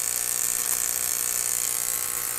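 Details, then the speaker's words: Monitor Audio RSW12 subwoofer amplifier with a loud-buzz complaint, at power-up: a constant 60 Hz mains hum under a harsh high-frequency buzz; every capacitor on the power amp board was found defective. "i hear a 60 hertz hum and a bunch of high frequency component at the same time which really shouldn't be on a subwoofer at all"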